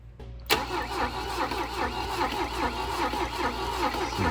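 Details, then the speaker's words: 1966 Volvo Amazon 220 wagon, cranked via remote starter switch at the solenoid: steady starter churn at about 74 cranks a minute that never catches; no fuel reaching the engine from the new gas tank. "we hooked up the little line to do a to connect right to the solenoid of the starter and it's trying so we're gonna see if if we can get some fuel coming forward and maybe we can get this thing started"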